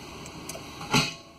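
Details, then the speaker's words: 1997 Chevy 1500 4x4, shifting from neutral into 4 Low while the 4WD light keeps blinking: one sharp, loud clunk from the transfer case; front axle suspected of not engaging, not confirmed. "L okay did you hear that so the light's still blinking but that transfer case made one hell of a [Music] noise I I think I don't think the front axle is engaging"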